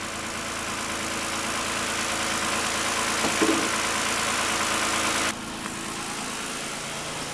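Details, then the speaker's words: Toyota all-wheel-drive first fire-up after reassembly, coolant low, not yet warmed up; smooth even idle, steady pitch, no timing chain rattle or ticking, charging 14.3 V: normal idle. "hey look at that no alternator light that's good that stupid all-wheel drive light is on and no timing rattle"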